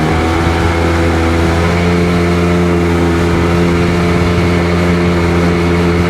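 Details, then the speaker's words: Rebuilt 951 Sea-Doo GTX DI two-stroke with all new parts, tested at the lake after fitting a new solenoid and hard line, idling around 1450 rpm: steady deep drone at an even pitch, no skips or dropouts. Runs well; owner still suspects an aging fuel pump. "And there she is, ready to go and running. And runs pretty damn good, too."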